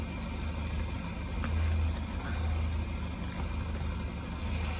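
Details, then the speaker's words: GAZelle with ZMZ 405 engine at about 484,000 km mileage, idling under the open hood after a DIY repair: low idle with an uneven, lumpy beat and occasional stumbles; it is still misfiring at idle. "По-моему, троить тоже перестал, да? Нет, троить не перестало."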